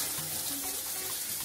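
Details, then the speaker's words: Lorenzetti Top Jet Turbo electronic shower after heating element replacement, water run before switching the breaker on to bleed air: steady hiss of water flow with no crackle or sputter, normal. "você precisa ligar o registro de água e deixar correr a água no chuveiro se você não fizer isso pessoal aí deixa vai queimar"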